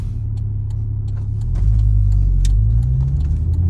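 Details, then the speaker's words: 1991 Audi 200 20V Avant five-cylinder after cylinder head repair and distributor gear fix, K&N air filter fitted, first test drive: deep even burble swelling smoothly with revs, blow-off valve audible, no ticks or knocks; running clean. "Sounds good, everything's running smooth. Open it up a little bit here. You can hear the blow-off valve a little bit after we put the K&N air filter on, and I think we'll call this repair good to"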